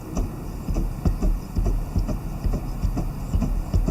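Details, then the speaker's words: Fox Float CTD Evolution rear shock, hand-pumped on the bench during a rebuild. It gives rhythmic rushing-wind whooshes about once a second with little damping. Air is mixed into the damper oil; a broken shim was also found. "when i push here uh listen to what uh sound is made you hear kind of a rushing wind or something that effect"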